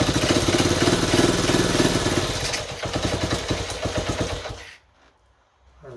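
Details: 1970 Honda Trail 90, previously non-running, owner said it overheated: small single fires and runs with a steady popping beat of about four a second before shut-off; major fuel leak noted; normal running.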